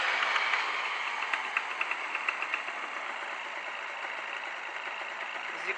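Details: Honda NSR 125 two-stroke after fitting the missing exhaust gasket, choke on: light, quiet idle with a soft, even crackle settling smoothly, no exhaust rasp or leak noise; much quieter and less smoky, normal idle.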